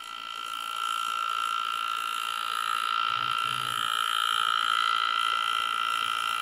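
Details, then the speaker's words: Air engraving handpiece cutting on a practice plate: thin steady high whine around one kilohertz at even pitch; cutting smoothly, works nicely. "so I do what we did a nice nice cut and you can see it so yeah this works pretty nicely"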